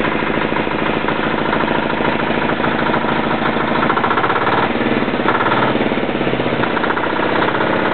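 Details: Yanclone Suntom 186CF 406cc single-cylinder diesel in a Royal Enfield motorbike, second test run after rebuild (injector, fuel line, head gasket replaced, valves decoked): steady, even low-idle thump with ordinary injection clatter, no knock or misfire; healthy.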